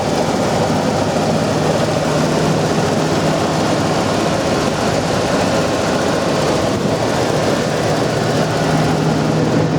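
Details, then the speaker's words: 1996 Ford F250 XL 4WD pickup, possibly 390 big block (unsure): starts right up and settles into a steady, even low idle rumble with no tapping, knocking or roughness; exhaust sounds healthy, normal idle. "truck fires right up I didn't hear any kind kind of engine noise whatsoever no tapping no knocking no jumping around"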